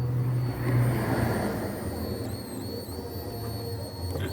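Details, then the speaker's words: 2007 Nissan Wingroad WEY11 QG15, crank-no-start; fuel pump run by bidirectional scan tool, high pump whine cuts out in gaps as the connector is shaken, burnt negative terminal losing contact, before repair. "See when you shake the jack, cut off. Right, but this jack had to change."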